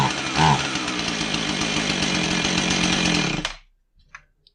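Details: Husqvarna 445 chainsaw with a bogging complaint, test run after fitting new carburetor gaskets; runs rough and uneven, never clears up, then dies quickly, bogging from a plugged low-speed carburetor circuit, low-speed jet set at 2¼ turns.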